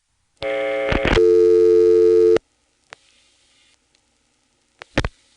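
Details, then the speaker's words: Senderized XY step-by-step exchange, Woodbridge, Prince William County VA, 1970s, heard down a rotary phone line: dialing 49 drops the register sender onto the first selector; a steady low buzz of normal dial tone, then a dead line with relay clicks. "what we've just done is dial for nine which causes the register Center to completely drop out we're sitting on the first selector this is where dial tone would be were this a normal step"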